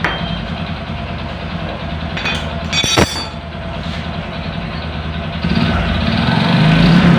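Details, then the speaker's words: Honda Supra 125 idling with a coarse, uneven knock deep in the bottom end that grows with revs; worn connecting rod and crank bearing, needs an engine teardown; bike also has hard shifting and weak power. "untuk suaranya tetap tidak hilang karena Emang permasalahan ada di stang sehernya dan rumah kacanya itu harus turun mesin ya"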